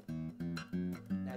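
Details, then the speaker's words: Zager acoustic guitar after a slight truss rod adjustment: four clean strums with the string rattle and fret buzz gone. "can hear it's not rattling but just that slightest adjustment the guitar doesn't look any different but that's where the science is"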